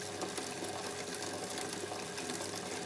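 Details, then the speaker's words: Bicycle chain with wet lubricant after dry contamination added, running: steady gritty rasp and fine crackle over chain whir, grit absorbed into lube; grinding expected to last about 10 minutes as particles grind finer. "so we can hear that grinding away there's so much more has been absorbed and it's just continuing on and continuing"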